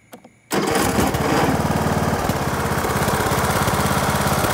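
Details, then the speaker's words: Craftsman riding mower after its carburetor was cleaned: catches at once and settles into a steady, even single-cylinder putter with no misses or surging. It now runs and mows normally. "i put the engine cabin back on and this thing runs now let me show you"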